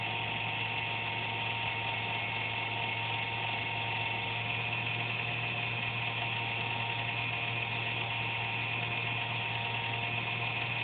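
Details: Computer under a desk, buzzing randomly once or twice a day with performance unaffected; steady high-pitched electric whirr over a low hum; owner thinks it's the fan, unsure.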